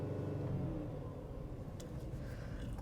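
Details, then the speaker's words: 2011 Chevrolet Equinox, code P2135 throttle body correlation, also pedal correlation and 5 V reference P0697 codes: shaking steady low rumble that won't pick up with pedal floored; reduced power mode, sounds like half running. "it's definitely running in reduced power sounds like only half of us running"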